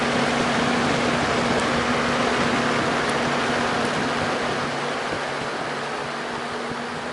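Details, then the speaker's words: Junkyard vintage Torcan box fan on high speed, uncleaned with dusty blades: steady, even whoosh of air with a soft low hum, no rattle or scrape; quiet but moves little air. "You know what? This thing doesn't make very much noise, but it also doesn't move very much air either."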